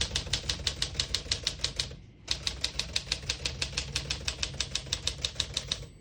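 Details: Serviced 1954 Smith-Corona Silent-Super portable typewriter: crisp, even keystrokes at about three a second, a short pause, then steady typing again while accidentally printing in red before the margin bell. Clean, healthy typing action.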